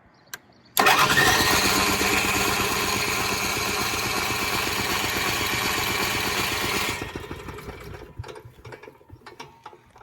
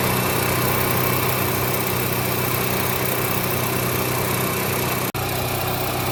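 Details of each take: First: Onan 4000 KY generator, hard starting: cranks with a steady chugging beat, then sputters and dies. Air filter removed shows choke plate stuck open and choke lever not moving; plate should close at ignition until the choke coil heats up. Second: Onan 4000 KY Series portable petrol generator running steady and smooth with an even hum, no surging, after new spark plug, oil, fuel filter and fuel pump, cleaned carburetor, adjusted choke coil and altitude screw turned richer.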